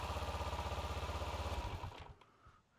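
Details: 2012 Kawasaki Ninja 650 during no-start troubleshooting: steady, even cranking at about four beats per second for a second and a half, then it stops; the starter motor is turning over normally.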